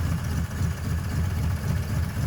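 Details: Ford F100 V8 with timing at 11° BTDC, after a harmonic balancer replacement: deep, steady idle with an even low pulse, no misses or knocks. It now revs past 3000 rpm without backfiring; the problem is solved.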